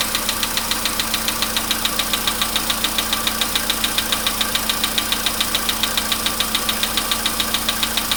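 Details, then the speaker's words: Polo Sedan, 99,329 km, idling after about ten minutes, now fully warm, recorded standing beside it: sharp evenly spaced ticking under two per second over steady idle; light metallic knock inside the engine that is getting worse. "И вот такой вот, если прислушаться, постукивание."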